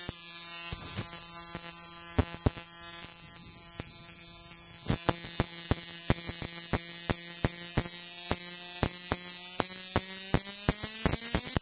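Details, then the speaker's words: Repaired old 555-timer Mk1 Jaycar Jacobs ladder kit coil driver with added frequency control, rods on the coil, boxed up: a steady buzzing hum with a sharp spark crackle every second or so. The driver is working properly. "Let's see it running. This was designed as a Jacobs ladder kit, so I've put some rods on the coil there."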